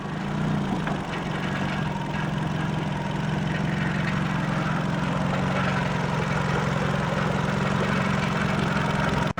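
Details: 2004 Nissan Sentra idling in drive: steady drone from under the car with faint metallic buzz, stops in neutral; loose exhaust heat shield clamp rattling, fixed with hose clamps.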